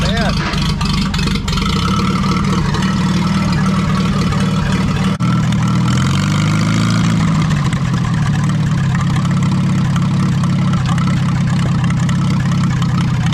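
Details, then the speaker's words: Farmall B tractor engine fires on fresh gas, revs drop smoothly to even low unmuffled idle without surging, run without coolant; governor shaft rebuilt because it wouldn't idle down fully, now holds idle; normal idle. "idle's down a lot better too that was part of the reason i went rebuilt that governor shaft because it didn't want to idle down all the way"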